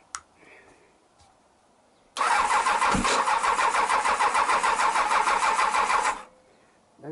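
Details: Honda CBR1000F, engine previously running on three cylinders, fuel pump rusty and beyond repair: starter spins engine at a steady even churn for about four seconds with no firing, no petrol reaching it.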